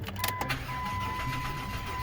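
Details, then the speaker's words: 2006 Chrysler Town & Country minivan with a no-start, cranked after banging on the fuel tank: starter spins the engine evenly with a steady whir but it never catches. Fuel pump suspected, not yet confirmed. "Alright, still no start."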